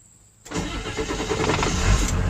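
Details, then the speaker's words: Ford 7.3 Powerstroke diesel that intermittently loses power with check engine light and stalls when slowing, suspected camshaft position sensor; brief crank, then it catches at once and settles into a steady clattering idle. "there we go all right so there's the check engine light and as soon as uh slow down here it's gonna stall out on me so pull over right here there we go engine stalled out"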